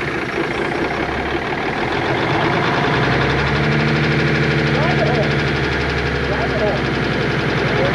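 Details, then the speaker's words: 1988 Kenworth K100E, Cummins 400 Big Cam IV diesel, first start after sitting 9 years: heavy diesel idling roughly with an uneven stumbling beat three or four times a second; one cylinder missing, cause not confirmed. "it's definitely missing though"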